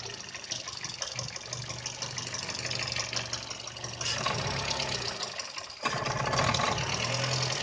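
Low idle hum wavers unevenly with irregular lumpy pulses and hesitations instead of a smooth beat; a rough idle, cause unclear.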